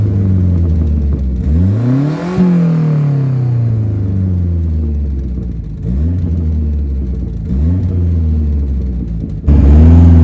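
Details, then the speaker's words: Saab 900 Turbo after new spark plugs, distributor rebuild and ignition timing set, driving: pulls cleanly through each gear with smooth, even rising pitch and no stumble; misfire gone, slightly more boost. "the engine itself just sounds a friend I think a bit better it sounds healthier now that the timing is as it should be and it's not misfiring"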